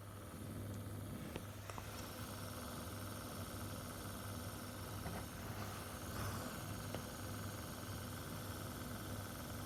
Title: Weird noise coming from my Xbox one s